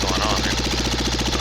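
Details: Cub Cadet Model 123 garden tractor single-cylinder engine run with muffler removed, some smoke suggesting oil; sharp regular knock about nine times a second over loud unmuffled idle, internal engine knock still present, cause not yet found.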